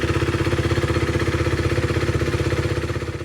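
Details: 2016 KTM Duke 390 after replacing the timing chain tensioner that had caused a knocking rattle: an even, steady single-cylinder thump at idle with no tick or knock, much better. Normal idle after repair.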